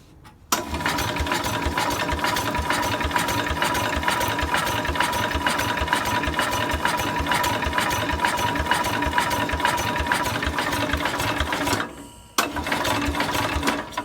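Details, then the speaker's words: Cub Cadet 129 tractor engine cranking with good spark after the points were cleaned. Rhythmic chugs about twice a second with no firing, so it cranks but won't start. The owner finds no compression by finger test; no compression gauge test has been done yet. "so we got good Spock now clean the points a little better but we have no compression"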